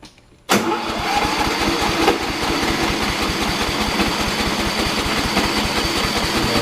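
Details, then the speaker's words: Troy-Bilt Bronco 42in mower (2008 chassis) with 2012 Kohler 20hp engine, after carb replacement, oil change, tune-up and battery swap: engine catches into a fast, raspy idle with sharp puffing pulses; fat exhaust leak, likely near manifold, to be welded. "sounds like it's kind of a fat exhaust leak smells like a pretty bad exhaust leak so another episode we will be welding up some exhaust so I don't have to buy a new one"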